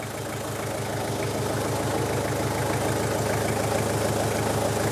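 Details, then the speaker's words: Toyota Hilux Surf 2L-TE diesel after swapping the CT20 turbo for a 1KD-FTV CT16-V variable-geometry turbo: steady, even diesel clatter at idle with no hiss or whistle and no leaks; normal, healthy idle. "all right guys well it's running and there's no leaks sounds good so looking pretty good so far"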